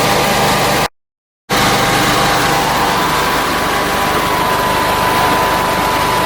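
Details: Generac generator with a Briggs engine after a governor rebuild: steady, even drone at one constant speed with no hunting or surging; governor holding, rpm close to spec, voltage slightly high and regulator not yet set.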